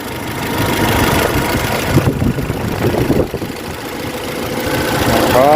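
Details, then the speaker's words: 2013 Toyota Innova 2.7L VVTi petrol, after repair with both coolant hoses and thermostat replaced; earlier noise occurred at 2000–3000 rpm: engine settles into a steady, firm, even idle with no heavy knock; normal idle. "हो गया भाई engine start यह बनी नोवा रानी अपनी हो गई ready engine की performance एकदम बढ़िया है मस्त चल रहा है इंजन जबरदस्त एकदम"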